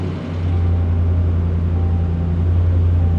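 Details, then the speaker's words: Ram Longhorn V8 after exhaust leak repair with new BD exhaust manifolds and Rough Country cat-back exhaust, push-button start; deep steady exhaust rumble settling after startup, no rattles, ticks or leaks: normal exhaust note at idle. "Home improvement. Yeah, that's that's a man's sound right there. I like that."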